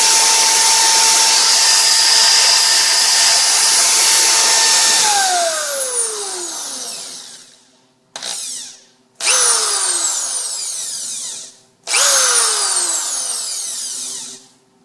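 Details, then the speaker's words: Power drill after its squealing brushes were sanded and cleaned: steady, even motor tone, then wind-down and three short bursts; no squeal, works like new. "make that uh noise anymore really from what I can tell Works a heck of a lot better wow"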